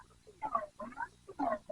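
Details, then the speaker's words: Harley Road King fork during service, refilled with higher-viscosity oil: wet squishing gurgle on each pump stroke as the fork extends, air sucked into the void between fork tube and leg; oil level too low, needs topping up. "That noise right there. That tells me that we need to add some more oil in here because when the fork extends far enough, it's allowing it to actually suck air back into the void in between the fork tube and the fork leg here because we don't have quite enough in there."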